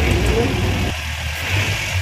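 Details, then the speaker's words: DA63 Multicab pickup that wouldn't start and had no dashboard display; after finding the fault and fixing it, the display returned and the engine runs at a steady even idle with a slight blip, no stumble, knock or misfire. "Ayan may display na start natin yun umandar na guys mission success na naman tayo"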